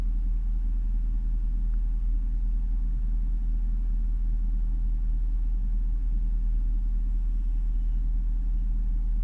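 Warm idle with a deep steady rumble that lopes unevenly instead of holding a smooth beat; a rough idle, cause not yet pinned down.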